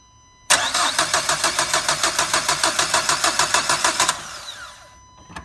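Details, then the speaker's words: 1.5 dCi diesel with a starting problem, cranking steadily at about three compressions a second for three and a half seconds without firing; lacking diesel fuel pressure, cause (pump, pressure sensor or rail) not yet diagnosed. "Comme vous entendez, et là, il manque de gasoil, il manque de pression de gasoil. Voilà, là, sûr qu'il y a un problème quelque part de gasoil."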